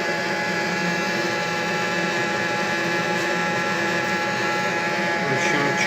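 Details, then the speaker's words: Viessmann Vitopend 100 A1JB boiler running: the three-way valve hums steadily, the sound changing when the valve is moved and stopping when pressed, returning on release; cause not yet known, valve to be disassembled and cleaned. "В общем, гудит трехходовой клапан. Вот мы его шевелим. Он изменяет звуки. Если надавить, то гул этот пропадает. Отпускаю, вот, начинает гудеть."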